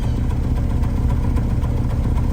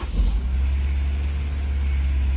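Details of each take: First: Honda S2000, booked for an engine ticking sound: low, lumpy idle with uneven chug and faint irregular ticks, smoothing out when revved; VSA light came on; bad misfire found; valves suspected too tight, valve adjustment and injectors planned. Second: Honda S2000 after exhaust repair with new Honda gasket and codes cleared: steady, even low idle with no ticking or puffing, settling after a brief rev; smoother, exhaust leak gone, idle expected to drop as it warms.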